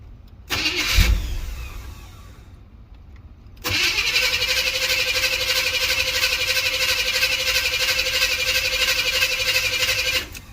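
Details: 305 small-block Chevy Gen 1 cold start, with hard starting, stalling and misfire complaints: brief crank dies out, pause, then a second crank catches into steady idle.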